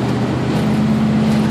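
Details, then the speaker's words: 1968 Chevy Nova with newly installed Edelbrock E-Street self-learning EFI, first road drive: deep, smooth V8 rumble over tyre noise, pulling cleanly with no misfire or stumble. Normal running. "running really good right now"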